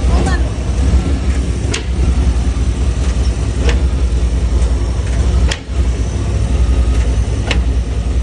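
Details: 1995 Chevy OBS truck: sharp single clunks about every two seconds over steady low engine and road rumble; cause unknown.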